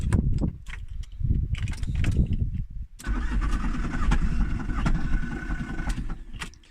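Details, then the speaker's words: VW Transporter T4 1.9 ABL 60 hp diesel, over 230,000 miles, fueling turned up, with a rattle that worsened: the starter spins fast and uneven with no compression beats or firing; zero compression, big ends suspected failed. "So I've moved it up to here, it didn't like it, and now we have completely and utterly zero compression."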